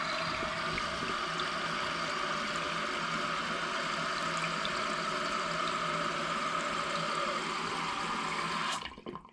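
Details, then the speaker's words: Toilet tank refilling after fill valve replacement, previously noisy and pulsating: steady, even hiss that cuts off cleanly when the float shuts the valve. "So now the fill valve is filling up the tank, and we now have a essentially fixed toilet for only $10."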